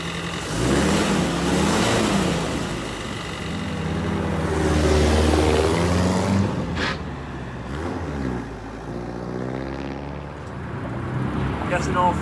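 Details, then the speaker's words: M151A2 MUTT four-cylinder after a valve adjustment and distributor rebuild; it sounds far better than before. The idle has a steady, even beat around four per second with slight rev swells and no ticking or knock; it runs healthy. "that sounds a thousand times better I know what it sounds like on camera but I ain't messing with it"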